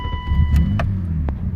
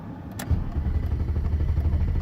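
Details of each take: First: BMW E32 7 Series M30 six-cylinder after replacing the faulty part: engine catches at once and settles into a steady low rumble, no long cranking or stumbling; hard-start problem fixed, starts cleanly. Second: BMW E32 7 Series with M30 six-cylinder that stalled right after parking; steady rapid starter cranking with no firing, crank no start, with a failed crank sensor suggested as the cause.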